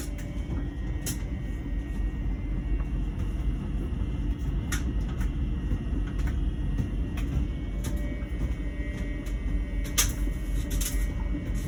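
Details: LG Wash Tower WKHC202HBA heat pump ventless dryer, about a year old: steady low rumble with a faint, constant mid-pitched buzz that is new, starting late in the cycle; dryer otherwise works fine, cause unknown.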